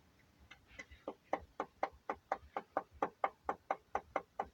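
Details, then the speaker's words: Mazda CX-7 engine: sharp, evenly spaced knocks about two per second over a quiet engine; rod knock from a spun crankshaft bearing, first suspected turbo, blamed on diesel engine oil used for topping up. "вот такая вот проблема застучал движок а причина была первая причина была что на доливку масла взяли [ __ ] дизельные залили"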